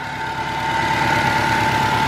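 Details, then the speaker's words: Subaru Legacy GT after engine reinstall (ringland fix): smooth even idle, steady low pulse, faint constant whine, no knocks or misses; runs fine with no check engine light, no leaks seen. "seems to be running just fine sounds fine and there is no check engine light"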